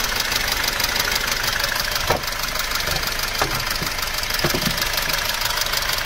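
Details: Mercedes M271.860 engine at idle: steady light tick about three per second over the engine hum, attributed to knocking rocker arms; timing chain stretch was then measured on the intake and exhaust camshafts.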